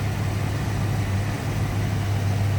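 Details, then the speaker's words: 1990 Ford Mustang ASC McLaren convertible, 5.0 L V8 with aftermarket cold air intake, hood open: deep, even idle rumble, steady beat, no misses, ticks or knocks; smooth normal idle. "Smooth Runner. Sounds good."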